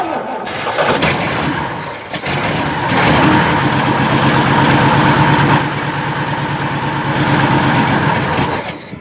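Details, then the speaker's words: 1980 Jeep J20 pickup sitting 13 years, run on gas poured down the throat: engine catches, runs unevenly several seconds, then fades and quits; fuel not being drawn, owner suspects fuel system or tank trouble. "good news it runs bad news I got fuel issues then because it's not drawing anything"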